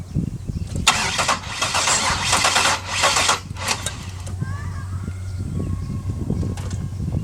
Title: 02 lesabre No start